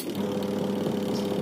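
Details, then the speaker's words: Sharp two-tub manual washing machine, repaired wash section (previously dead while spin worked) on final test: smooth steady low hum, no grinding or scraping, agitator reversing normally; wash motor agitation normal. "Oke berarti ini sudah betul dan sudah normal semuanya"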